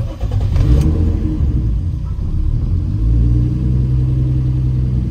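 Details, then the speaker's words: Turbo M50 BMW E30 warming up: deep engine note swells unevenly and stumbles when throttle is applied, hesitating and bogging instead of picking up cleanly. Owner suspects a vacuum leak and plans to check with a mechanic's stethoscope; unconfirmed. "is it when I give a gas it chokes up the vacuum leak that little hesitation on giving it throttle"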